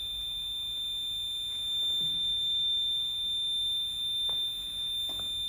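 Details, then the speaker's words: Inverter's steady, piercing high-pitched low-voltage alarm squeal as a 60 W bulb load is switched on, because the battery is a little low on voltage; about 5.5 A drawn from the battery through a modified sine inverter producing 110 V. "you'll hear you'll hear the low voltage alarm squeal just because the battery is getting a little low on voltage"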